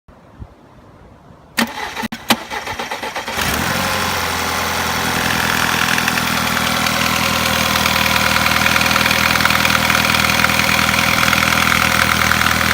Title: Стук в двигателе Volkswagen Passat B6